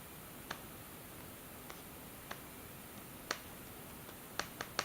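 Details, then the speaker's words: BlackBerry Priv: sharp, dry irregular clicks when the screen is tapped or swiped near one corner. Owner suspects that part of the screen, tied to the sliding mechanism, is slightly bent. "he displays clicking so this this corner or this part of the screen is I guess slightly bent that way so it makes a sound"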